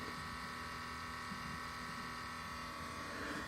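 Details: 2016 Subaru WRX STI after being turned off: quiet, steady electric hum with engine stopped; it is the fuel pump doing a pressure test, completely normal.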